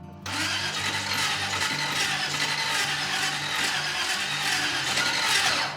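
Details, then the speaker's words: Custom hot rod with exotic dual carburetors, first start after reassembly: sluggish, uneven starter churning, engine cranks slowly and won't fire; starter sounds funny; slow cranking, no start. "Oh, it wants to. That was something. Yeah, it's cranking kind of slow. The starter sounds funny. It's not breathing life."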